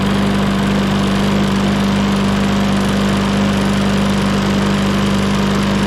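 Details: Lawn mower, 2021 by serial number, serviced with gas checked; steady, even single-cylinder drone with a strong constant hum and no misses or knocks while oil in the muffler burns off; runs smoothly and sounds healthy.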